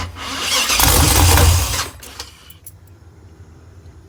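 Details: Engine with a Holley Terminator X Max EFI: the starter churns hard for about a second and a half, then drops away without catching; cranks but won't start.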